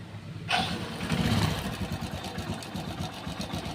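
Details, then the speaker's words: Hero Passion Pro i3s single-cylinder bike after timing chain timing was reset to cure a tick-tick rattle; starts cleanly and settles to an even, steady beat with no chain rattle, silent healthy idle. "तो गाड़ी भाई बिल्कुल आवाज़ silent है, कोई कटपट की आवाज़ नहीं है, बिल्कुल भी ओके रिपोर्ट है।"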